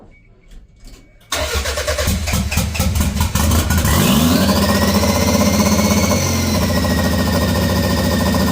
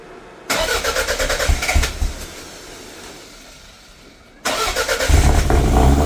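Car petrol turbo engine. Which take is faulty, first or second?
second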